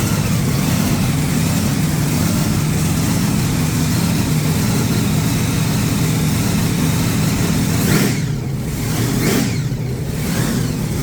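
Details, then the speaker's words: Supercharged big-block Chevy V8 just refitted in the ute, oil pump primed with a drill, timing set, no coolant yet: deep lumpy rumble with blower whine, steady idle, crisp blips settling back cleanly; running healthy. "I primed the oil pump with a drill before I started it but it's running really good and I got the timing bang on"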